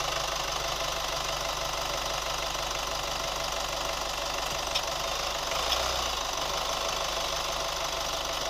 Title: New Chevy Colorado ticking sound / rubber squeak sound 2